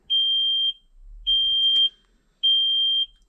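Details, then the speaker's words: Kenworth T370 diesel truck, key on, engine off, code reader connecting: high shrill half-second beeps roughly once a second; cab warning buzzer, cause unknown. "turn the key on and then it's going to beep at us and annoy the out of us"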